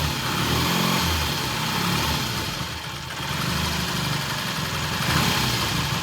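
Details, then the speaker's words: 1968 T100 vintage British twin with a new battery, after throttle cable slack adjustment: steady, even idle beat holding speed without hunting. Timing exactly on, mixture good, idles beautifully. Normal idle. "At this point in time, it starts, runs, idles just beautifully. Timing is exactly on. Mixture's good, idle's good, and it's a nice little bike."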